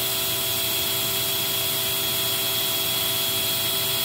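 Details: Eureka 402 Superlite small vacuum rated 2 amps, unit with the good filter, during the nozzle airflow test: high, steady motor whine with a constant airy rush and no wavering or rattles; normal running.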